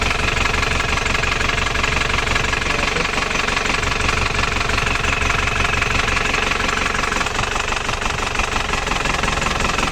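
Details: Isuzu Panther LS diesel as it arrived at the shop. Its idle limps along unevenly with a hard knock of about three beats a second. The mechanic suspects a severe compression leak, though uneven injector nozzles can also cause limping.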